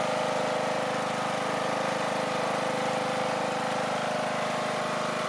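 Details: Small single running on 3D-printed TPU fuel tank and valve cover gaskets with fresh gasoline and new cap: steady even buzzing run, no misses, surging or knocks; sounds good, though a fuel-tank vacuum issue may only appear when driven.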